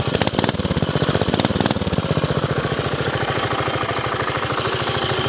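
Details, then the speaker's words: 5hp minibike single with a homemade welded exhaust, baffle and slight leak. Loud, sharp, even pops about ten a second settle to a steady idle. Finding: normal running, fairly loud. "Sounds the hell good. It's actually fairly loud."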